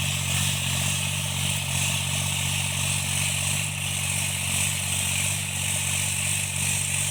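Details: Tractor diesel cultivating after an engine-knocking repair: steady, even drone while pulling a load with no knocking over the exhaust note, running normally and healthy under load.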